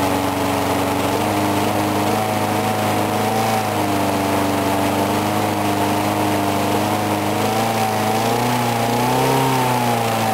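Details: Briggs & Stratton single-cylinder mower, cold 35°F, sat long with water in the gas, refueled; steady even buzz with slight speed drift, no misses; normal running.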